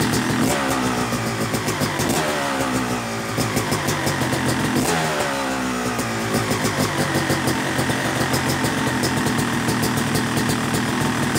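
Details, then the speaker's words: Rebuilt Yamaha YZ250 two-stroke (270cc) motocross bike after full bottom-end rebuild, third start of break-in, warm: crisp crackle rising cleanly on short blips and dropping back to steady idle; normal idle and revving, sounding good. "but looking good sounding good man so pleased"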